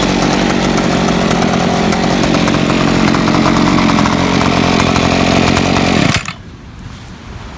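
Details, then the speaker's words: Ryobi SS30 30cc two-stroke weed trimmer after simple carburetor adjustment: buzzes steady and high under load, holding speed without bogging or stalling; runs healthy, though maybe not exactly fine-tuned. "just rent out a trim line but trimmers running great just a little bit of tweaking has definitely helped and it's probably not exactly fine-tuned but uh you know it's running great as far as I'm concerned here it's just not bogging down it's not stalling out"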